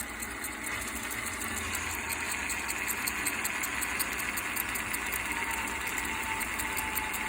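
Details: Axial SCX10 RC crawler: small electric motor whines with a dry, ticking rattle about three times a second and a squeak; caused by loose screws, squeak cured with WD-40.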